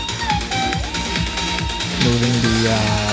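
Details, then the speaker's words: Behringer Studio L monitor controller playing music after its crackling, cutting-out A-switch was cleaned and fixed, tested partly reassembled: steady audio with no crackle, scratching or dropouts. "No um cutting in and out. No scratching noises."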